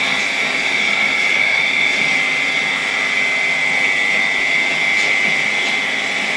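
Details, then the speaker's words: 1964 Polish Gamma II (type A-6b) vacuum cleaner, KASB-70/30 motor, running after cleaning of a rusty unit: steady high-pitched motor whine with a faint rough whir from slightly worn bearings in the 60-year-old motor. "You can hear the bearings in this motor a bit. But remember, it is 60 years old, this is a 1964 motor."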